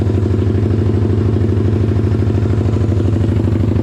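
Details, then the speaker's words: Pitster Pro X4 pit bike with new Daytona Piranha 190 engine, first start after build, still a little cold and unchoked; steady, even single-cylinder putter at quick idle, clean and regular; runs normally, though carb still needs tuning as it bogs when floored. "runs like a jam yeah buddy still a little cold and unchoked but she sounds good"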